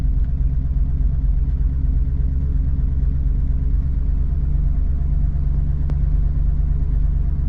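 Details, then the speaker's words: 1971 Ford Torino 351C 4V with Carb Cheater installed, auto tune switched on: deep even V8 rumble, idle lifts slightly as the IAC valve opens to adjust air-fuel ratio; normal idle. "can kind of hear the idle take off a bit."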